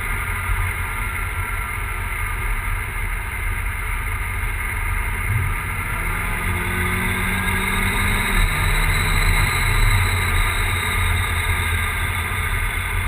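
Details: Volvo 940 with big turbo running E85: rough, uneven idle with a lumpy low beat and no clean rhythm. It is misfiring for an unknown reason.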